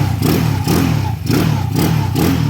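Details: 200cc motorcycle, upgraded from a stock 59 to a 63 big-bore setup after the engine grew loud, now in break-in: light throttle blips with a smooth exhaust note and no knocking; the freshly built engine sounds healthy and quiet.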